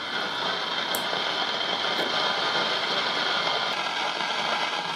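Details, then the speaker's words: Old Philco tube radio, stored over 20 years, no dial: constant loud hiss with sharp crackles every second or two from grid-to-plate leakage inside the IF cans; transformers need replacing. "t's not really the condensers that go bad it's leakage between the grid and the plate side of the of the if' can so these AF cans are toast okay they have to be replaced"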